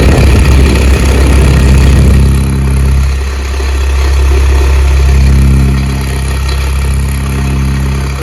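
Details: Stand fan (farrata type) running with a loud steady low drone and rough grinding edge throughout, no speed change: worn fan motor bearings.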